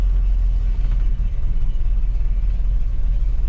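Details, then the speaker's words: 1977 Jeep Cherokee Chief after fitting a new ignition and rebuilding the carburetor to cure spark and fuel issues: deep, steady engine rumble holding an even note without stumbles or popping; running much better. "see if it runs any better [Music] it's already sounding better"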